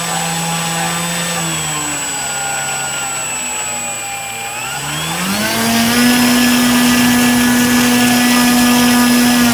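Electric motor tone wavers up and down, dips, then locks onto a loud steady high-pitched whine; an irregular running noise, cause unclear.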